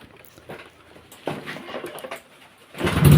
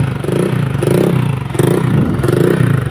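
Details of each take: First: Honda Vario 125 old (KZR) after CKP sensor replacement and clearing code 52 (it stalled when hot): starts easily on first crank and settles into a steady idle around 1300–1400 rpm, injector 2.3, normal. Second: Honda Vario 125 (KZR) that stalls often, especially when hot, with MIL code 52 (crankshaft position sensor): idles unevenly, surging and sagging about twice a second with a sputtering beat, then dies.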